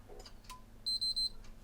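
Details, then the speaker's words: Backwards-compatible PS3 CECHC03 with yellow light of death, after fitting four replacement capacitors on each side: three quick beeps as it shuts down during boot with a flashing red light. The fix failed. "Didn't even get the Sony Entertainment this time. It's shut down with the 3 beeps. Flashing red. Fail."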